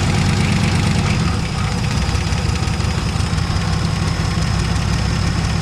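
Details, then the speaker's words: 1970 Dodge Challenger slant six idling after its first start, with new plugs, old wires and a temporary fuel pump. A steady low rumbling idle with an even beat and no misses or stumbles; the engine is settling and running fine. "She's just the leaning tower of power, but she don't sound too bad. Sounds pretty good."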